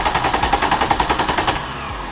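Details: VW Corrado VR6 with intermittent stalling: fast, even cranking that never catches, with no spark. A new crank sensor didn't help; the fault was a poor contact at the distributor rotor, fixed by cleaning it.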